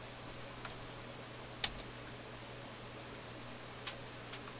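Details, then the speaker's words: Philips console stereo tube receiver/amplifier, after freeze-spraying a suspected resistor: a few sharp, irregular clicks and pops, about four in five seconds, over steady hiss and low hum; intermittent crackling noise, cause not yet found. "Uh-oh. I heard some popping and clicking here."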